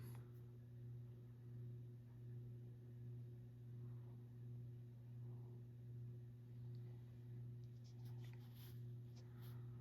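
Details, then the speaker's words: Kmart-labeled SMC U-42 42-inch ceiling fan (circa 1990) on low: steady motor hum swelling and fading about once a second with faint bearing rumble. "So, per usual for SMC's, these are not dead silent. Has an audible motor hum there. And it does have bearing noise, which is typical. These bearings on these motors aren't the best."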